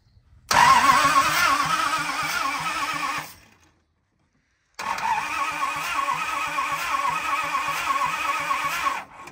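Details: 1970 Dodge D300 wrecker, long-sitting, cranked on day three after a broken solenoid wire was fixed and points cleaned, with blue spark at the points: two long cranking bursts, starter chugging about four beats a second, engine never fires.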